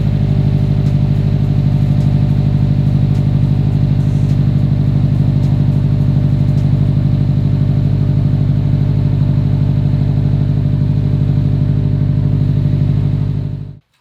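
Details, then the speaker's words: 2015 Subaru STI with a rebuilt engine, first run: a steady, even low idle with a smooth regular pulse and no knocks or misses, then a clean shutdown; it runs smoothly, with an O2 bank 1 code only because the sensor was unplugged. "Well, it's running pretty smooth, but we're throwing a code for O2 sensor bank 1, and the reason for that is because old Brandon didn't plug it in."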